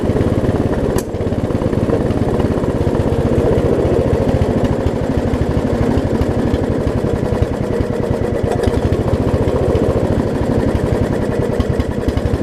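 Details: Lowe's riding mower, blade off. The small engine runs rough and uneven with a sharp pop early on: backfiring, not running cleanly.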